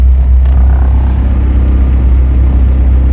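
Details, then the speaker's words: 1998 Acura Integra GSR with eBay injectors, after a tune adjustment fixes idle hunting likely caused by wrong injector dead times: a steady, even low idle rumble with no stumbles; the idle is now good. "Yeah, she's happier now. Idle's good."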